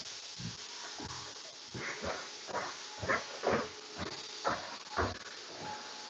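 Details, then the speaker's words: Pressure cooker heating up, heard from some distance away: short, regular, even hissing puffs about every half second, normal steam venting from the weight as it nears pressure. "we should be getting close I can hear it hissing already"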